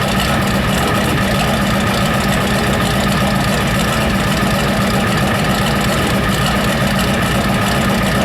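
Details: Ford 7.3 IDI diesel's first start after a new injection pump was installed and timed: loud, harsh, rapid knocking over rough running, with heavy white smoke. Owner suspects an injector stuck wide open over-fuelling; the cause is unconfirmed.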